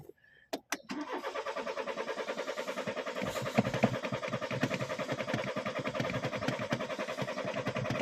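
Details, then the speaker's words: BMW X3 diesel that would not start after running out of fuel (range showed 175 km): a click, short crank, then it catches and settles into a steady, even diesel idle; starts and runs normally, check engine light now on. "ayan na ayun na ayun na ayun na ayun na umandar na siya"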